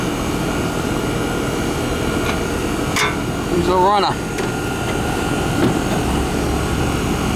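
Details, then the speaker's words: American Standard/Trane AC condenser whose fan wasn't spinning, burnt fan wires found, rewired (hard-start kit wire noted): steady even whoosh and hum, no clicking, stall or rattle; compressor and fan running normally after repair. "foreign ER compressor's running the Fan's running"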